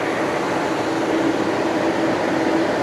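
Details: 2020 Tesla Model Y on the charger in a hot Arizona garage: loud steady rushing air with faint constant tone, no speed changes, as the fan works to cool the battery; overheating stops charging.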